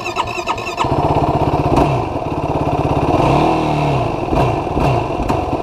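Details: 2016 Yamaha YFZ450R SE single-cylinder quad, factory bog issue on 2014+ models: hard to start, then stumbles and surges unevenly at low RPM and low throttle before picking up; lean condition from factory throttle position sensor setting.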